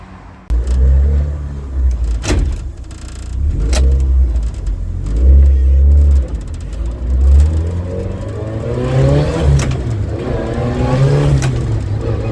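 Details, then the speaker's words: Toyota Celica GT-Four ST185 rally car with 5SGTE Beams engine, untuned, first drive after final assembly: deep even note revving out smoothly through gear changes, gearbox shifts cleanly, no knocks or misfires; normal engine revving and shifting. "I've just taken the car around the block pretty happy it all works really nicely the motor revs out nice and smooth the gearbox shifts beautifully"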